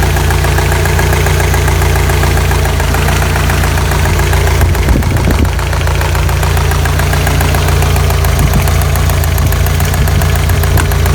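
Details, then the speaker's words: 1985 Toyota pickup, 22R 2.4 engine, rarely driven, after fuel filter change, warm idle after about 10 minutes: light, quick, even top-end ticking keeping pace with idle; owner suspects lifter noise, or maybe chain slap or bad guides, not confirmed. "Got some lifter noise here, or maybe chain slap, bad guides, or maybe lifter noise."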